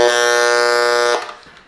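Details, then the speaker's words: Failed Behringer Eurorack UB1202 mixer: loud steady low buzz with rich edge for about a second, then cuts and fades; sounds like 60 Hz hum, suspected zapped filter capacitor possibly in power supply, before recapping; mains hum. "now it's really really noisy and as you can tell from the the hum sounds like 60 hertz from so my bed goes to a zapped filtering capacitor somewhere maybe in the power supply"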